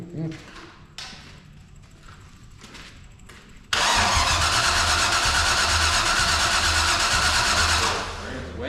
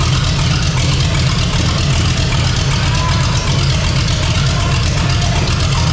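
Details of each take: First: 454 big-block V8 in a Civic, new out-of-box carburetor, temporary fuel pump, early test fire: steady starter cranking then loud ragged bursts as cylinders catch and die, no idle; partial firing. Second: 454 big-block V8 in a Civic, first run on temporary systems, new out-of-box carburetor: deep, steady rumble, even and unbroken; normal idle.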